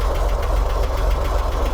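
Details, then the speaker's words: 1964 Corvair Monza during a tune-up, cold with chokes on, high idle about 860–900 rpm before setting timing: steady, fairly quick even pulsing with no knocks; normal cold fast idle. "and the car is cold right now so the chokes are on and you can see i'm running 900 rpm 870 880 870 860."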